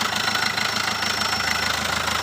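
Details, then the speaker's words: Chevrolet Spin 1.3 diesel just started after an overhaul at another shop: harsh, uneven clatter with a hissy edge. Oil is mixed with coolant and the radiator water is rising; the cause is still to be traced. "Ini dapat kiriman dari Solo, overhaul, bekas mobil overhaul, tapi ini baru saja hidup sudah parah kayak gini."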